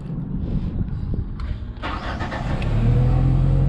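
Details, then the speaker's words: Genie S-60 boom lift after a crank-no-start repair, sat long with starting fluid sprayed: it starts a bit rough, then settles into a steady, even run with the fuel pump buzzing and oil pressure up. No misfire or knock. "it was a little rough starting up but it um didn't didn't blow anything up so it's starting to smooth out sounds pretty good can hear that fuel [Music] pump just buzzing along"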